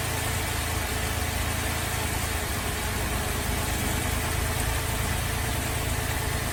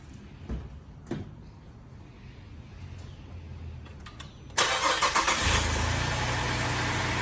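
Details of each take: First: Holden VZ Adventra Alloytec V6 running very rough at idle, coils disconnected one at a time: uneven, lumpy idle with irregular low thump and stumbles; misfire traced to failed number 5 ignition coil pack. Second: Holden VZ Adventra Alloytec V6, after replacing faulty ignition coil found by disconnecting coils one at a time: a few clicks, then engine starts and holds a smooth, even idle, misfire gone; normal idle.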